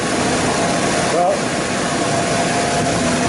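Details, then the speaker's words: Ford Ranger after fixing a bad misfire caused by a missing pushrod: steady, even idle hum with no stumble or skipped beats; runs on all cylinders with no miss. "she's running. She's running and there's no miss."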